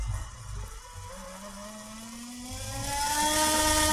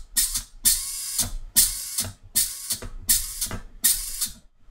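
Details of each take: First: Two small motors driven by a Cytron MD13S motor driver from Arduino, error LEDs flickering unexplained: smooth whir with pitch climbing steadily, no catches or grinding; speed ramps up and down as expected, normal. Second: Small DC motor driven by a Cytron MD13S 13 A single-channel motor driver from Arduino, powered from a battery instead of 9 V: shrill high-pitched whirring bursts spinning up and stopping; motor possibly overspeeding from excessive supply voltage.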